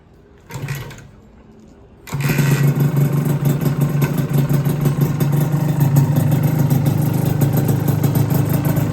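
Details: Rebuilt Honda LS125 two-stroke, cold start without choke: catches at about two seconds and settles into a steady, crackly idle; engine sounds healthy.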